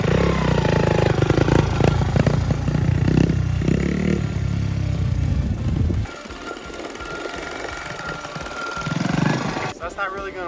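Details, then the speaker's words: Two-stroke dirt bike recovered from the bottom of a lake, ridden with throttle applied: rough, flat revving that bogs and struggles to pick up; poor running, not revving under throttle, suspected fuel delivery or carburetor problem. "but the current issue is that his bike is not running very well let me demonstrate when you give it throttle doesn't rev up"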